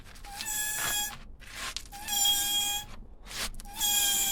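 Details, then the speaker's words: Hyundai Tiburon jacked up, rear passenger wheel spun by hand with the handbrake off: a high scraping squeal on each spin that fades fast as the wheel drags and stops; brakes recently done, owner suspected a bearing or seized caliper. "that should be spinning freely and it is difficult to turn so obviously something's up my immediate worry was that it was a seized caliper or something"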